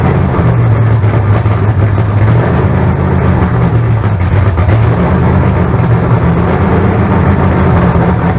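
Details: Freshly built 388 small-block Chevy V8 break-in run, throttle worked by hand. Loud, steady deep rumble with slight rises and falls in speed and no knocks or ticks; about 80 psi oil pressure, no leaks.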